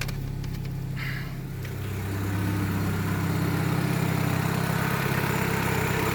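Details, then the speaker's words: 1.6 Daewoo Lanos petrol engine idling smoothly and evenly, no shaking or misfire, faint exhaust puff from a slight leak; exhaust manifold smoking as the lubricated studs and bolts heat up. "Так, в общем, вот так вот работает двигатель. Достаточно ровно, без строений, без ничего абсолютно."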